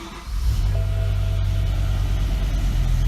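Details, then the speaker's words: BMW E63 M6, cylinder 4 misfire fault, no spark on that cylinder: uneven, lumpy idle with a deep rhythmic stumble as one cylinder drops out; a failed ignition coil is suspected. "it's not happy at all it's not able to fire that so I'm guessing it's probably the coal unfortunately the rest of them seem to be working so"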